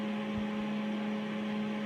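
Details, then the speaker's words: Whirlpool WED9290FW ventless heat-pump condenser dryer with the cycle paused: a steady low electric hum and soft airy hiss, no drum tumbling, as the heat pump compressor keeps running, a little louder than typical. "cycle, and you can hear the heat pump still spinning, so I'm going to restart it. It's a little bit louder than typical."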